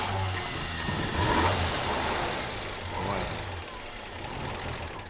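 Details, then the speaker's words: Vintage tractor at auction, original steering with added power steering arm, started on request: catches and settles into an even, steady run with light blips, no knocks or misses; sounds sweet; normal running. "Wow. Yeah. That's great. Sounds very sweet, doesn't it?"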